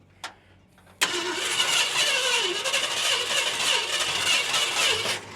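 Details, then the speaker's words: Barn-find 1971 Ford F350 Crew Cab on its first start, distributor left loose: it fires and runs about four seconds with an uneven, hissy, stumbling beat. Timing may be off, and a major lifter or rod tick is suspected. "Okay, I'm not I'm not totally disappointed. She actually fires up and runs."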